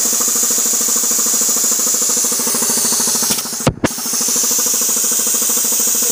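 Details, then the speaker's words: 50+ year old vintage Tecalemit compressor pump with a small tank under test: a fast, steady chuffing beat, with one short hiss and bang from the relief valve; the pump works normally. "okay so yeah it works perfectly on that noise that bang was just release valve because the compressor is so small the tank is so small"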